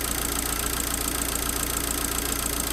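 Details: Abarth 500 after a thicker replacement auxiliary belt was fitted, running with the alternator removed: steady, even idle with a smooth hum and no squeal or chatter. Normal idle.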